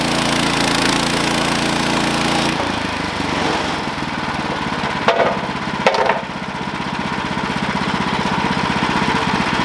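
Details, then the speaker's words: Sawmill engine drones steadily during a cut, then at about 2.5 s the note sags and roughens as the blade loses drive. The cause was a worn-out, slipping clutch and a worn drive belt. "all right so this is what i found out about my belt slipping is i believe my clutch is starting to be get weak"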